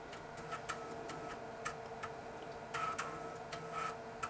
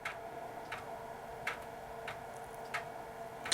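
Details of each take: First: Dell 486P/20 (486SX 20MHz) system, replacement floppy drive seeking at boot: quick crisp head-stepping ticks in short bursts over a faint hum, heads moving faster than the original Panasonic drive, floppy potentially working. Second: Dell 486P/20 from the early 1990s reading a floppy disk: a faint hum with sharp, unhurried, uneven seek ticks roughly every 0.7 s, about half normal speed. The drive works but is sluggish, possibly just this model.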